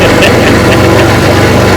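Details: 1959 Evinrude Golden Jubilee 18 HP Fast Twin outboard, fully rebuilt down to the gear case (seals, impeller, carburetor), on a bayou test run: loud, even two-stroke burble at steady idle with no misses or surging; running normally.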